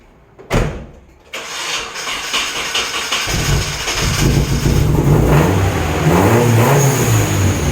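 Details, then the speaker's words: Nissan 240SX first start after rebuild, with injectors professionally cleaned and flow-tested: starter catches, steady even idle and smooth rev rise with no misses or knocks; normal running. "all right so that was like as good as this cars ever run"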